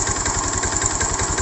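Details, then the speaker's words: Honda Beat (eSP) scooter engine that ran out of oil and seized, first start after adding fresh oil and freeing by kicking without teardown: rough idle with heavy regular low thumping under harsh clatter; connecting rod knock, owner believes the con-rod is damaged. "kali suaranya kasar bisa dari sehernya ya Setang Seher juga bisa dari apa namanya ee itu ya"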